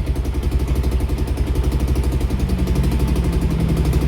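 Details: Yamaha Aerox with 62 mm bore, rebuilt after a lower-end noise with new crankshaft, exhaust neck leaking, battery 12.22 V: even, quiet single-cylinder idle with a steady low pulse and no bottom-end knock; sounds healthy.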